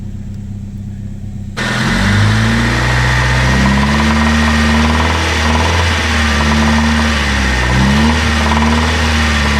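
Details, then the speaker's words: 1997 Honda Civic, 220,000 miles, burns oil; it ran down to half a quart and developed rod knock. After the repair it starts and revs smoothly with no rod knock; owner unsure how long the fix will last. "But I don't hear the rod knocking anymore, so only time will tell, I guess."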